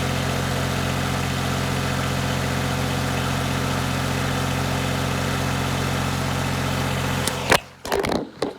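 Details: 1988 Yanmar 336D diesel tractor, sat outside six years, fuel, oil, air filter and coolant checked, throttle at three quarters: fast, steady, even clatter with no misses or knocks before shutting off; normal healthy idle.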